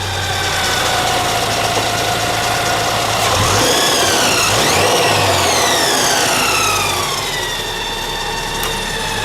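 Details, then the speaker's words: Subaru BRZ with a Kraftwerks supercharger kit, engine bay. A steady, smooth idle, then a clean rev with the blower whine rising and falling with engine speed. Healthy supercharged engine. "So, come back around the front and just show you what it all looks like running. Give it a bit of a rev as well."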